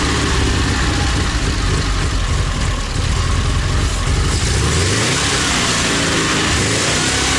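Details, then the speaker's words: ZAZ 968M after standing, fuel pump repaired and carburetor adjusted: steady even idle, then a clean rev that climbs smoothly and settles back without stumbling. Normal running. "небольшой такой получился запуск карбюратор настроил сейчас покажу как он работает бензонасос починил"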